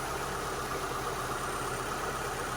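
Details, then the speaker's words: 2002 Mitsubishi Lancer with new coil packs, after about 5 minutes of running: steady, even idle, no stumble or rocking as before, shop fan humming behind; now smooth. "Okay, so this is probably after 5 minutes of just letting the engine run. Sounds a lot smoother now. It's not rocking back and forth as it was before."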